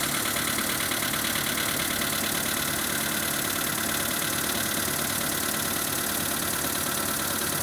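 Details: VW Polo Sedan idling after start, over 12,000 km, knock absent when new and not acknowledged by the dealer's engine specialist: steady idle with a faint, fairly even tapping about three times a second; engine knock, cause unclear.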